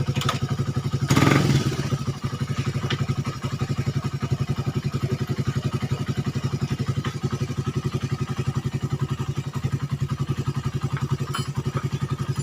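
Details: Suzuki Satria FU 150 cc after fixing cam-chain top timing set wrong by another workshop, which had made idle rough and the engine weak and thirsty. A brief rev, then an even single-cylinder idle near 220 pulses/min with no misses. Smooth and healthy.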